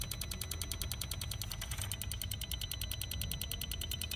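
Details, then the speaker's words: Late-model BMW with fuel mixture too lean and a high deviation fault (B38 fuel-mixture case): under component activation with a scan tool, the faulty tank vent solenoid valve ticks crisply at about ten clicks a second, compared against a good one. "you can do the component activation and you can compare the noise between 40 solenoid and the good solenoid let's check for the noise"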